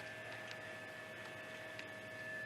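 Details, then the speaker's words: 2007 BMW 335i cooling system bleed, engine off, heat at maximum and accelerator floored about 12 seconds to trigger it; electric water pump runs with a quiet steady whir and water flow, no grinding or rattle, for about 10 minutes. Normal. "you should hear the electric water pump outside running and doing its thing so we'll go outside and check that out"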